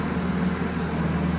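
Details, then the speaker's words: Carbureted Vespa scooter started first try after 5–6 months of winter storage: even, raised-speed drone with no misses, fast idling on choke while warming up, quite normal; fast idle on choke during warm-up. "On entend actuellement le moteur prend beaucoup plus de vitesse, ce qui est tout à fait normal parce qu'il est sur ce qu'on appelle le choke, sur l'étrangleur."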